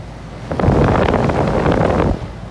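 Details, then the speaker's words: Goodman gas pack package unit not cooling, breaker tripping: harsh rough roar swells under two seconds with no smooth hum as the compressor tries to run and trips; compressor has a bad winding. "something started making noise before we even gave it this leg say like something going on with a compressor to me"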